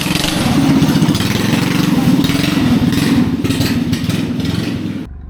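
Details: Rebuilt Predator 212cc racing engine on go-kart, Nibbi carburetor, short performance exhaust, after lockup: loud, quick, even bark with no misfires or rattles; runs strong and healthy after rebuild.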